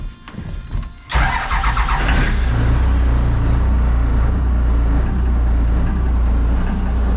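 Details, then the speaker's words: Port diesel engine on a boat at its first test start: catches after a brief crank and settles into a deep idle that rises and falls, bouncing; mild idle surge on the new engine. "it's bouncing bouncing now you might notice this"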